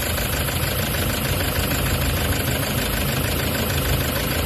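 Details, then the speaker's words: Toyota HiAce diesel idling, stethoscope diagnosis: heavy steady rumble with dull regular knock underneath, felt at connecting rod and main bearings; injector spray seems fine; rod and main bearing knock. "no okay ang problema may humahawak do sa kanyang cond bearing saka m bearing"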